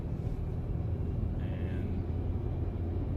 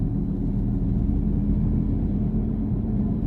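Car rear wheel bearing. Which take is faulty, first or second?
second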